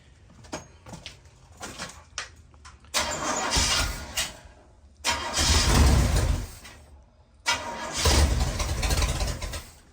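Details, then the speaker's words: Rat rod bus engine, first start, timing set by ear: repeated cranking with uneven sputters that never catch to a steady run; cranks but won't start, choke found to be the issue. "So I'm not sure why we're not pumping fuel yet."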